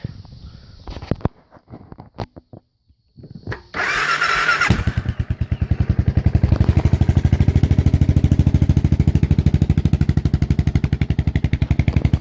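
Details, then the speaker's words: Suzuki S40 Savage single-cylinder motorcycle, cold after sitting a few days, started on choke: a few cranks, then fires and settles into a steady thumping idle; normal cold start on choke. "this thing hasn't been started in a few days see it's cold just gonna start it up pull the choke down"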